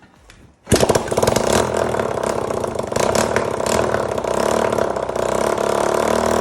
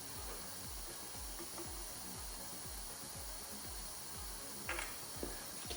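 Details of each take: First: 1985 Honda XL250R RFVC single, abandoned many years, after intake valve clearance adjustment for low compression and intake backfire, with oil added to cylinder, muffler off: catches quickly, settles into steady even idle, no misses, knocking or smoke; healthy start. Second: 1985 Honda XL250R RFVC, abandoned for years, low compression and backfiring: leak-down test at top dead centre with 20–25 psi, steady hiss of air escaping at the intake; intake valve had zero clearance, held open.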